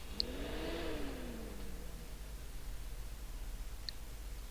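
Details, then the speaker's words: Gigabyte GA-H81M-DS2 motherboard with 4th-gen i5, stuck powering on and off with no POST: faint click, fan briefly whirs up and dies, another quiet click as it shuts off; suspected BIOS fault. "And this is the one that basically starts and goes click and goes off again."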